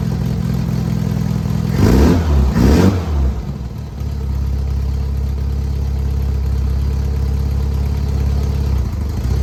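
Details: 1967 Volkswagen Beetle air-cooled flat-four after engine removal, new motor mounts, oil cooler O-rings and broken exhaust stud fix: smooth steady idle with one throttle blip, no knocking.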